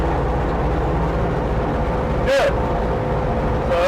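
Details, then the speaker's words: Viking 130 aircraft engine with propeller, started first try: steady, even drone at a fast idle around 1640 rpm, fuel pressure 44, oil pressure 66, gearbox 83, no misses or knocks; healthy idle. "ank here I'll be darn it started right up the first time"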